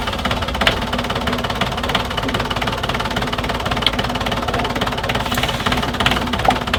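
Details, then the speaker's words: Small four-cylinder sailboat diesel on the hard, hose feeding raw water strainer: even diesel clatter at steady idle, no misses, surges or odd knocks; runs smoothly, normal idle. "But it sounds good. It smells like old egg. Good to go."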